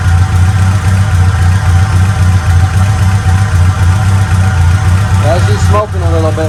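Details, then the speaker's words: Acura Integra GSR B18C1 all-motor after Supertech head gasket and ARP head studs install and a no-start fix: steady, even idle with a firm low beat and no misses or knocks; more compression, sounds much better, coolant coming off. "she sounds so much better"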